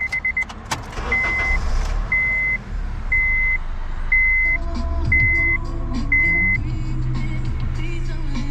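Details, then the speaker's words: 2006 Honda Civic, 186,000 miles, previously sat in a garage; a chime pings about once a second, then the engine catches around four seconds in and settles into a smooth, quiet idle with no check engine light. Normal start and idle. "Start it up. The check engine light doesn't even come on."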